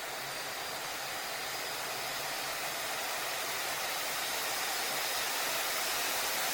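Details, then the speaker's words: MSI Stealth 18-inch gaming laptop with the fan set to Cooler Boost in MSI Center at extreme performance, running at full speed. It makes a loud, steady airy rush like a jet taking off, which is normal cooling to prevent throttling. "지금 비행기 이륙하는 소리 아닙니다. 노트북에서 팬이 풀로드로 도는 소리예요."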